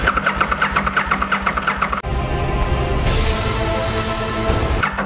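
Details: Aprilia RSV Mille Gen 1 in a no-start diagnosis: even starter cranking at about eight beats a second with no firing, the fuel pump connector unplugged so there is no fuel, while the injector test light checks for flashes.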